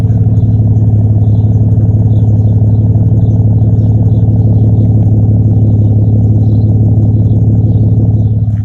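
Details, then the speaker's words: Ford Falcon after replacing a broken coolant T fitting on the turbo water/oil feed, coolant bleeding: smooth, even idle with a steady low rumble and no ticks, knocks or misses; healthy running, recorded again because earlier clip was windy outside. "Yeah, just another clip of how it sounds, because the last video was a little bit windy while I was outside."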